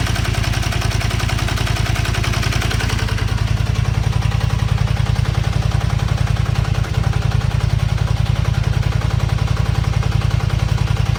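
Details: Zelvis 250, cold even idle with fast light chattering on every firing pulse that sounds like the top end; owner suspects cam chain tensioner not tensioning, chain rubbing; noise disappears once warm.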